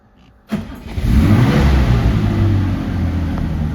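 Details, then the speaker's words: 1972 BMW 3.0 CS cold start in neutral via start button, fuel pump audible: brief crank, catches cleanly, settles to a steady slightly high idle while warming, temp gauge cold, no knocks or misses; starts and runs great. "There you go. Starts and runs great. It's going to idle a little high while it's warming up, I think, but see the temp gauge is cold."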